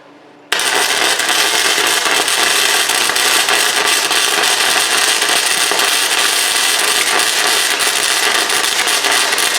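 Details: Chicago Electric ~125 A flux-core welder converted to DC, after repairing a fire from overheating, possibly rusty cable, feed speed turned up: steady crackling hiss like frying bacon, even for nine seconds; stable, healthy arc laying a bead, with rectifier barely warm afterward.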